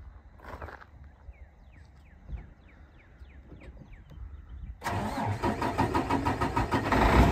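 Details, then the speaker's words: 2007 Freightliner M2 112 with a Mercedes-Benz 12.8 L 410 hp pre-emissions diesel, Eaton 8LL and 172,000 miles: a few seconds of cranking, then it fires straight away into a strong, even idle. The start is healthy. "the engine starts right up it sounds great you can hear that now"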